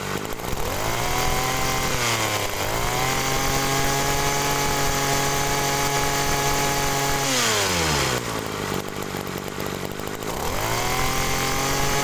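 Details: Agricultural sprayer small engine fitted with a known-good spare carburetor: crisp even buzz revving up and settling to steady idle without the throttle bog; suspected stuck pump ruled out, original carburetor at fault.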